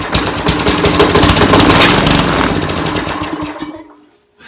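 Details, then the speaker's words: Trash-picked Craftsman lawn mower with a Briggs and Stratton engine sputtering unevenly for a few seconds, then dying on a borrowed spark plug; spark is fine, so a fuel delivery fault, with garbage in the carburetor bowl. "look at all that garbage coming out of there oh my goodness well I tried to start so it's not an electrical issue so it must be a fuel delivery issue"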